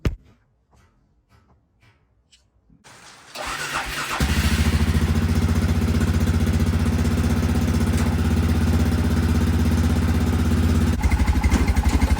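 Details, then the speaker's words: Arctic Cat 400 4x4 ATV with new homemade glasspack muffler made from stock muffler: cranks, catches and settles into steady even low thumping idle; clean, healthy, not obnoxious exhaust note. "you probably can't tell on camera but in real life it sounds really good you can hear it but it's not obnoxious"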